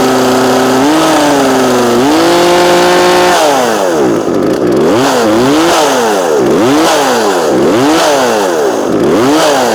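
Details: Small two-stroke chainsaw during low-speed carburetor adjustment with the splined adjuster tool. It holds a wavering idle, then repeated throttle blips rise and fall. Finding: unstable idle.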